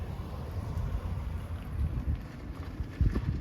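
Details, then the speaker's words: Motorcycle warmed up during pre-MOT checks: low, steady burbling idle under some wind buffeting, no rattles or blowing exhaust leaks; exhaust volume moderate, judged a pass, not over loud; normal idle. "right so the bike's warmed up tell by the noise level speaking normal volume you can hold the conversation yeah I'd say that's passed it's not over loud"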